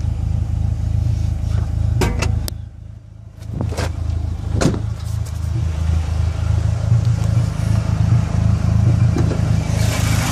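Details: SRT-4 idling lumpy with uneven stumble and sharp ticks, code P0304 cylinder 4 misfire; plugs, wires, injectors and coil pack already replaced, intake manifold gasket suspected.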